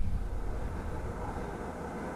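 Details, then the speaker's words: 1984 Ford LTD Crown Victoria V8 during restoration, distributor and automatic choke just worked on; steady fast low drone with idle stuck high even with throttle linkage held; owner suspects too much fuel, possibly linkage sticking. "that's uh that sound lower I mean it's it's up there in the rippums"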